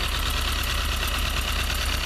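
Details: Toyota 4A-GE 20V blacktop four-cylinder at cold idle, cold to amplify the tick. A fast, light tick seems to come from near the exhaust header. Owner reports smoke and that the tick disappears at high revs; cause unknown.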